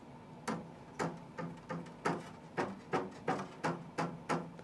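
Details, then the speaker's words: Qidi Tech X-Smart 3 3D printer, top and bottom belts retightened by removing one tooth from each belt loop, then strummed: about ten plucked thumps with a low short twang; not super tight but better than stock. "not super tight, but I think it's better than how it was stock."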